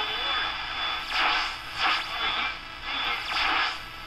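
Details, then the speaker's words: Test oscillator placed near an AM radio tuned to about 90 on the dial: hissing static with whistles sweeping up and down about once a second as the dial turns; interference proves the oscillator is working. "this is set to about Oh 90 on the am dial and turn this up this oscillator is interfering now with this radio"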